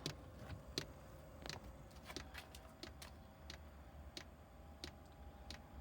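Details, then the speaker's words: Chinese diesel air heater on old controller during pre-warm-up: quiet, sharp, slightly uneven ticks about every second as the fuel pump pushes tiny air bubbles along the fuel line; normal fuel pump ticking at start-up. "If you can hear it, it's the pre-warm-up's going. Right, straight away it's pumped a couple of air bubbles, only tiny ones."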